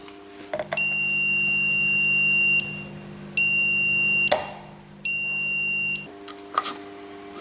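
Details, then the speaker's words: Smart circuit breaker (smart MCCB/RCBO) under test with no neutral connected: three long high-pitched beeps over a low hum as screen goes off yet it still limits current; warning of missing neutral. "I mean, there's no neutral. No neutral. The screen is gone, but it's still making a sound. It's limiting to the amperage."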